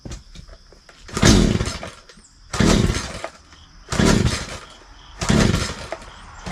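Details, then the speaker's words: Craftsman 42cc 2-stroke chainsaw (like Poulan Wild Thing), primed six times, full choke: four pull-cord cranks, each brief rasping spin with no firing; compression seems weak, to be checked, won't start. "I'm a little concerned about this. We'll have to check into it, but the compression seems to be a little off. It seems a little weak, so we'll have to check that before we get too far into this."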